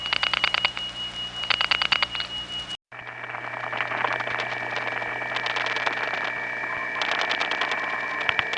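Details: Faint bursts of clicking and tones over steady line hiss in a step-by-step environment (1976-1981 analog network): crosstalk from other trunks, from capacitive coupling of wire pairs running side by side for miles.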